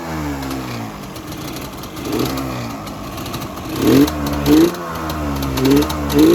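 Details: Yamaha Banshee two-stroke after kickstarter rebuild kit fitted: crisp idle with several sharp throttle blips, revs rising and falling cleanly, previous annoying rattle gone; sounds healthy.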